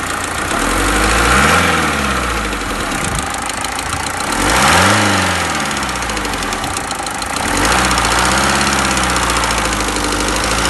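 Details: Mercedes OM601 diesel: a knock of unclear origin rides over the diesel clatter and follows the engine through three throttle blips; unexplained engine knock.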